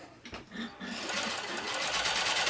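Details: Janome Combi sewing machine/serger motor after drive belt tension adjustment, covers off: spins up after a short pause into a steady, even whirring run with no slipping or labouring; normal running.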